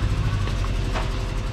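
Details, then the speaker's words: Car with a replacement engine installed, at idle: deep, uneven thump with a lumpy, stumbling beat. The engine is missing badly at idle, and the cause has not yet been found. "yeah it's missing missing pretty bad yeah we'll figure we'll figure it out"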